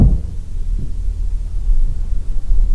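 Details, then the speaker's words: Toyota Supra long left sitting, original coil and igniter, about 125 psi measured on the compression gauge: the starter cranks with heavy, even thumps and compression builds. Normal cranking compression. "work with me here give me something all right and it sounds like it's building pressure that's what you want so that's enough to let me know that even if we don't really have a compression issue"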